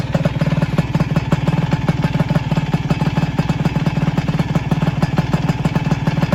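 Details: Single-cylinder engine after repair with new ignition flywheel and nut (balancer bearing had broken): steady, even thump about three beats per second at idle, no knocking or rattle; healthy.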